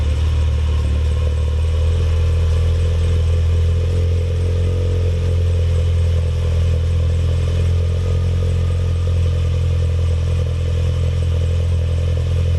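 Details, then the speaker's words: Ralliart engine at cold start holds a steady, deep, low drone without the usual high RPM flare. Low cold-start idle; owner suspects the throttle position sensor or accelerator pedal position sensor. "every time I started up now it kind of doesn't go to as high RPM range as it normally would on start ups"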